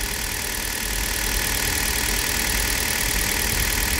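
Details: Hyundai Solaris engine, cold start after overnight at 2 °C, just after oil change to Toyota oil, mic not close to engine: even steady idle with smooth hiss, no distinct knocking or ticking; sounds healthy.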